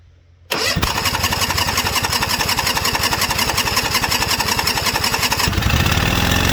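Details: White LT542G riding mower with a history of rough, erratic running, high fuel use and fuel in the oil: catches and fires, then chugs on with a ragged, uneven beat; runs rough because the carburettor main jet is missing.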